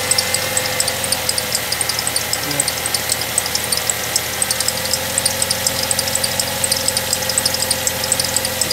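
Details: Ford Fusion idling with a sharp, rapid chirp four to five times a second; owner first suspected the water pump, but removing the serpentine belt traced it to a dried-out accessory pulley bearing; the engine also knocks when revved, and intake manifold runner codes P2004/P2008 are set.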